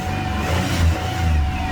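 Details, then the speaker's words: 2001 Chevrolet Monte Carlo 3.8L that stalled, stumbled and sometimes wouldn't start, after ignition module and coil refitted: low steady idle, stable rpm, no surging; tapping coil, wiring harness and battery cables causes no change. "nice stable rpms let's go knock on that coil again and see what happens"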